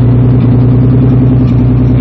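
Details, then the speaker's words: Turbo BMW S52 swapped into an E30, cold start at about −35°, aftermarket non-stock ECU: rough lumpy cold idle with an occasional dropped beat each second, a cold-start misfire that smooths out once the engine warms. "but you can hear that misfire once it warms back up it kind of smooths out like i said it's nothing like a stock bmw ecu as far as drivability but you know under boost is where it shines"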